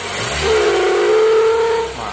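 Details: Toyota Corolla Twincam; as revs climb a hollow steady hoot holds over a second then fades as revs drop, from a collapsing PCV hose due to a broken PCV valve.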